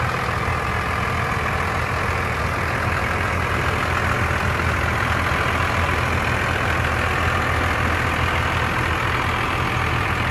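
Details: 1995 Dodge Ram 3500 dually 4x4 with a 12-valve 5.9 Cummins diesel, five-speed manual and 45,628 original miles, idling after startup. Steady even diesel clatter with no misses, knocks or speed swings; normal diesel idle.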